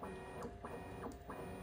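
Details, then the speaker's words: Bambu Lab P1S/P1P 3D printer, bed moving up and down: motor hum with repeating chirpy squeaks at certain Z heights, linked to the Z-axis belts under the printer; lubrication fixed it. "uh when you go up and down at certain Heights on the z-axis you'll hear a squeak"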